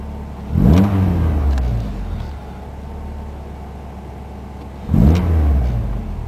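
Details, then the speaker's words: Ford ZX2 with defrost/AC off: steady low engine drone holding an even idle with no hunting or misses, apart from two brief handling bumps; normal idle, which turns weird with defrost on, suspected bad AC compressor. "Here's normal idle, route 1064."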